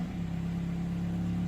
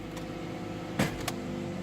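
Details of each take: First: 2005 Toyota Matrix with 260,000 km, idling in neutral: smooth, even low drone with steady pitch and no knocks or stumbles. It behaves oddly in park but sounds normal in neutral. Normal idle. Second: 2005 Toyota Matrix, 260,000 km, idling: after a couple of sharp clunks shifting into park, the idle hum shifts and a tone wavers near 200 Hz, sounding normal again in neutral; cause unclear.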